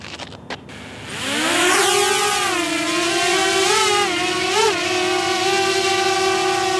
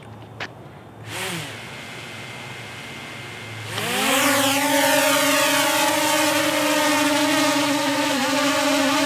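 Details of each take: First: DJI Mavic Air drone on stock propellers: after clicks, spins up into a loud, piercing, high-pitched bee-like buzz while hovering and punching up, wavering as it maneuvers; the high pitch makes it more annoying. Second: DJI Mavic Air drone hovering with Master Airscrew stealth propellers replacing stock props: steady, quieter, lower-pitch hum with slight waver; normal hover, though slight shaking noticed.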